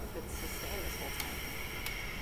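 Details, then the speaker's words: MEC cryostat opened after five years on Mauna Kea and shipping back from Hawaii: a steady hiss as the vacuum is cracked and air flows into the fridge, showing the vacuum had held until it was vented. "first thing we got to do is uh crack the vacuum and let air into the fridge can hear the hissing it's a good vacuum"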